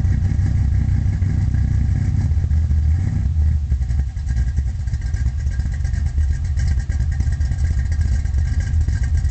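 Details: 1972 Chevy Nova small-block V8 with a solid lifter cam, Flowmaster exhaust and Powerglide transmission: a deep, lumpy idle through loud exhaust, the beat uneven and chopping rather than smooth; rough idle, cause not confirmed.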